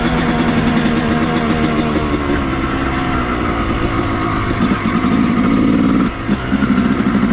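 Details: 2000 Yamaha YZ250 two-stroke on its first ride after a full rebuild with a new transmission, replacing broken 3rd and 5th gears: crisp engine pulling cleanly through the revs, even steady note, no knocks or rattles; healthy.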